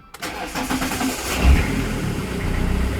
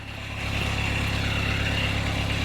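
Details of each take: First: Fiat Doblo 1.9D with a newly fitted mechanical SDI pump; pump preload is set, fuel is present and housing pressure is 3 bar; a short cranking churn, then a lumpy idle: hard starting. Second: Fiat Doblo 1.9D converted to a mechanical SDI injection pump, free-revved after the cam timing fix; it picks up cleanly and holds an even rev with no knocks, but the computer cuts the system above 3,000 rpm: normal free revving.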